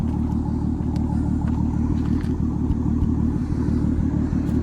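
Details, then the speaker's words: Modified Mk5 VW Golf R32 turbo conversion on its base remap, idling: low steady rumble with scattered sharp pops and crackles from the exhaust; noisy injector clicking also audible under the plastic inlet manifold. "the base map from stealth is cracking like always"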